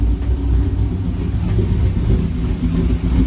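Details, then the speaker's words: Chevrolet Corvette C6 V8 running with about 50 lbs of oil pressure, no coolant yet: deep, lumpy, uneven rumble. The engine does not sound or run good; the owner says it needs a tune. "I wasn't happy because this motor does not sound good. And that's because it's not running good."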